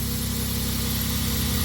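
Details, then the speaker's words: Van idling smoothly after a misfire repair that had caused a MAP sensor failure; new plug wires fitted, even low rumble, no stumbles, running cleanly on all cylinders. "Shouldn't have a misfire anymore. All right. She sounds good."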